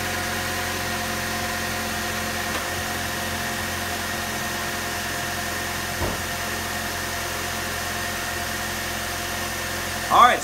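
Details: 2004 Chevy Cavalier 2.2L Ecotec after repairing rough running (P0300 random misfire, P0171 lean): petrol engine now idles smoothly and evenly with no stumble or shake; check engine light still on.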